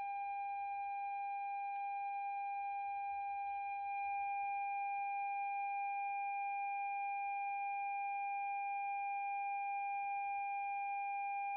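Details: 2017 Lexus NX 200t after jump cables were connected reversed, new battery fitted, starter won't turn, start button pressed: steady unbroken electronic tone with no engine running; dashboard warning chime after reversed jump-start.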